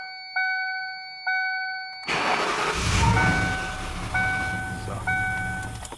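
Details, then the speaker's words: 1994 Lincoln Town Car after fixing crank-no-start from fuel injector fault: two chimes, cranks and catches, uneven idle with hunting revs; runs rough because air currently enters the throttle directly, bypassing the mass airflow meter and air filter box. "kuriasi. Dirba negražiai, nes dabar oras patenka tiesiai į sklendę."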